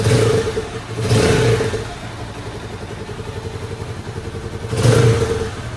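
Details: Loncin Pro 200cc single-cylinder Chinese motorcycle, after repair of engine knock, oil burning and smoke with new cylinder, piston, rings, pin, gaskets and air filter: idles evenly and picks up cleanly on two quick blips, no knock or clatter; normal running.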